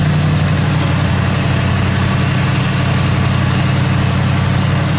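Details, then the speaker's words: 1977 Mercury Marquis, Ford 400M V8, idling after new spark plugs and plug wires and distributor corrosion cleanup: steady, even low rumble with smooth regular beat, no misses or ticks; running pretty good. "Running pretty good."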